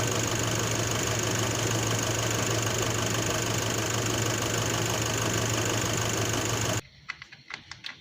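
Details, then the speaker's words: Nissan NP300 pickup at start-up, stethoscope on top of alternator: steady hum, heavy hiss and faint ticking about three a second, then quiet clicks; alternator bearing suspected, not confirmed. "Alright, as you can tell, you hear a loud ticking noise. So I suspect that is a alternator bearing."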